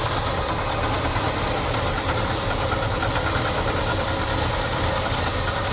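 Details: 1975 Ford F150 Super Cab big-block V8, 59,000 original miles, heard from under the hood after warming: steady even idle with constant hiss over it, no misses or knocks; normal idle.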